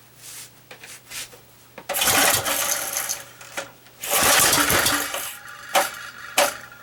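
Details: Small engine on a bench, started only once before, choke off: two long raspy starter cord pulls with no firing, the recoil dragging. The owner notes the recoil needs work, and the cause of the hard start is unconfirmed.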